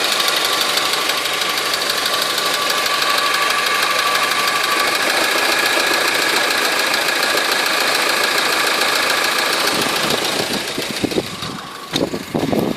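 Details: Honda 4D engine at idle: sharp metallic tapping about three per second over a hissy idle, steady throughout; engine knock, source not pinned down.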